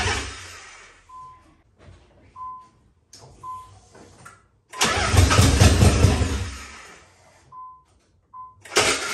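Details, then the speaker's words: Nissan 300ZX Z32 twin turbo, first crank after a wiring harness cleanup, no exhaust fitted: short halting crank bursts with gaps and beeps, then one longer labored crank. The ground strap was left untightened, and the owner also heard a spark-like sound; it was tightened before the second attempt. "Um when I cranked it sounded kind of weird. It doesn't sound like a normal crank for these cars. Uh, I didn't tighten the ground, so it was just on there."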